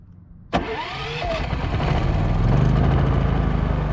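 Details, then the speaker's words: Westinghouse iGen 4500 generator, about a year of RV use, electric-started after sitting three weeks: starter whir, catches at once, then a smooth quiet idle with no load. No dead-battery issue, healthy start. "no dead battery no issues started right up just like it does every freaking day that we want to run it so you can hear the noise that's at idle"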